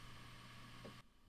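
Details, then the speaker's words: Mac Pro in a very silent room, with the Promise Pegasus R4i RAID MPX module removed: barely audible steady soft fan hum with no whirring surges, clicks or rattles; quiet normal fan operation. "hear that? Nothing. That's how my Mac Pro sounds like without this RAID enclosure in."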